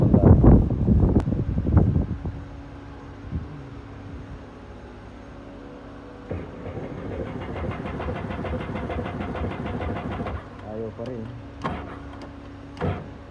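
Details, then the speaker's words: Sea-Doo GTX 300 after clearing fault codes, which stayed clear: starter churns steadily about four seconds but the engine never fires; owner suspects fuel or electrical, then replaces spark plugs. "Ayaw pa rin. Malalaman natin yan mamaya kung ano."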